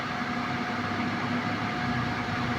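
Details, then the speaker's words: Suzuki Multicab (D17) AC compressor, previously noisy and grinding, running with a steady whirring hum and faint constant tone over the engine, no knocking or grinding; pressure reads normal at 175 and the line is cold, so operation is normal. "So dito normal yung bomba niya. Yan normal ito normal 175"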